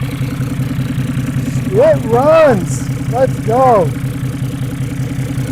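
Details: Mercedes 300D 603 turbo diesel, revived after three years sitting with water in fuel, now on fresh diesel: steady even idle clatter with no stumbles, voices over it; running healthy.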